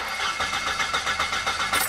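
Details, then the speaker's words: Car that cut out suddenly and now won't start: the starter churns at about 4.5 beats per second, never fires, then stops with a click; a crankshaft position sensor fault is suspected, to be checked against the fuel pump. "هو في معظم الاوقات ان العيب ده بيكون عيب حساس كرنك، لان هو اللي بيقطع كده فجاه."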